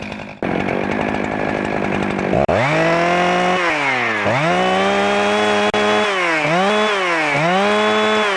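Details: Husqvarna 365 chainsaw after intake boot replacement, started outdoors: fires up, idles briefly, then revs cleanly up and down with the throttle without stumbling or surging; running healthy.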